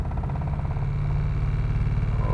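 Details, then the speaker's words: 2005 Mazda RX-8 automatic Shinka, stalls after starting, new plugs, wires and cheap coils, cold idle without throttle: lumpy idle sagging and hunting then dies; owner suspects fuel loss, may check MAF or ignition. "like he wants to stay alive and there he goes so you see my problem uh i mean i'm guessing that it's losing fuel that's why the engine cuts off"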